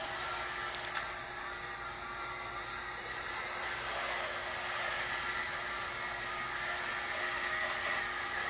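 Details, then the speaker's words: Walthers Burlington Northern 1709 model locomotive on a test track at full speed; steady high whir with a faint uneven flutter that never smooths out; rough motor sound, cause unknown. "Not the greatest sound either. That's full speed."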